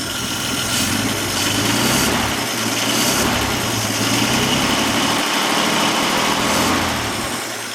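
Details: 1950 Dodge inline engine, started with many throttle pumps, choke open: settles into steady even idle with smooth low rumble, no misses or knocks.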